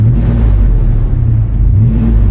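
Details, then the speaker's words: Suburban with Vortec 5.7 L V8 after a three-day crank-no-start repair: starts instantly into a steady, even low rumble with no knocks, misses or stumbles. The engine runs smoothly and sounds healthy. "Wow, it sounds really good. Smells right."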